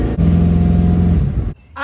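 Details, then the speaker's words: LS V8 after misfire troubleshooting by spark plug wire testing: strong even rev with clean pulses and no stumble or pop; the misfire is fixed. "now our LS engine Miss five troubleshoot paid off it's fixed"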